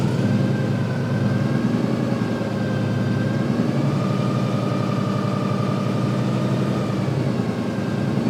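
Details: 1955 Chevy Napco clone with rebuilt automatic transmission (possibly Turbo 350) assembled from parts transmissions, fluid topped up: revs climb and hold at a steady high drone with no drop between gears; not upshifting, something sounds wrong underneath.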